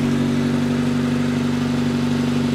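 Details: V2 generator/cogeneration unit with a heat exchanger, test run after many changes, fuel setting raised to the fourth position to cure fuel starvation, no electrical load: even, steady drone at constant speed, no knocks, misses or hunting; running smooth and healthy.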